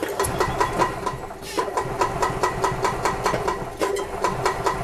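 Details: 1999 Club Car DS gas golf cart after carburetor cleaning for a crank-no-start, airbox hose reinstalled: single-cylinder engine chugging at fast even beat, crisp firing, running cleanly without choke; governor cranked to max, engine revving high.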